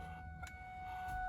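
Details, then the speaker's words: Cobra-swapped Mustang Bullitt at key-on: a super loud steady high electronic tone swells over the engine and road hum, seemingly from a speaker or possibly the tweeter; cause unconfirmed; loud speaker noise at key-on. "there's a super loud and obnoxious noise that sounds like it's coming from this speaker if not maybe the tweeter right there also"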